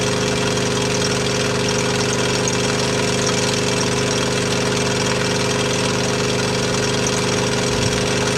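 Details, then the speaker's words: T80 air compressor pump under load: a steady hum with a loose, continuous rattle and a dying high-pitched squeak from the worn pump; it still makes air and pops off, and the rattle stops unloaded. "you can hear the squeaking in the background that's that's the compressor doing that along with most of the rattle in here here"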